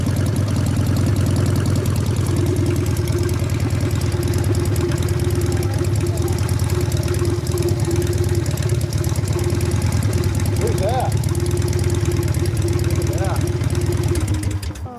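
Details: 1999 Harley 80ci Evo rigid with mid controls, brakes and chassis repairs, previously unable to keep running: deep, steady V-twin lope at even pace with no knocks or rattles before shutdown; runs well after ride, front brakes still non-existent.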